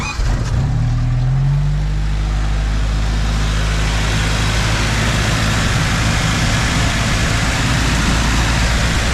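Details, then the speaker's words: 1995 Jeep Wrangler YJ four-cylinder, just fitted with 4-hole Ford 19lb injectors and new O-rings: after a short rise the engine settles into a smooth, even run without misses, knocks or hissing; no leaks, runs healthy. "No leaks, and it runs good. I revved it a couple times off camera."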